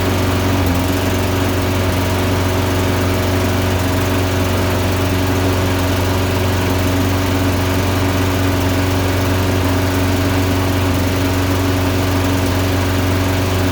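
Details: 2012 Toro Recycler lawnmower, Briggs & Stratton engine, rough since new (rich symptoms, hard restart), high-altitude jet fitted, test with a one-heat-range-hotter spark plug: uneven stumbling run with burbles, intermittent misfire, no significant improvement over the NGK plug.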